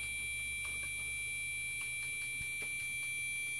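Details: Gigabyte motherboard in a Core 2 Quad build: the board speaker gives a continuous beep at power-up. Steady, shrill beep with no clear count, likely display-related; the fault was later cleared.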